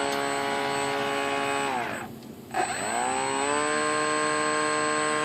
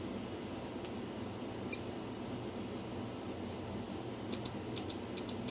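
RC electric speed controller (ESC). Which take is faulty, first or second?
second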